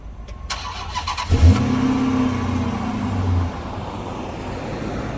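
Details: Dodge Magnum with a newly remanufactured 345ci Hemi V8, its first (inaugural) cold start: quick crank, clean catch, a short rev flare, then a steady, smooth V8 idle. Healthy start.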